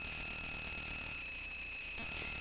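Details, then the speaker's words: A steady high-pitched whine with sharp tones over hiss comes from the Touchboard's small speaker; it worsened after changing the input power source, and the owner suspects poor filtering. "a very annoying sound and I'm not quite sure why it's so noisy and it actually got worse when I changed the input power source so I'm just thinking it's not uh it just does doesn't have a great filter on it or anything"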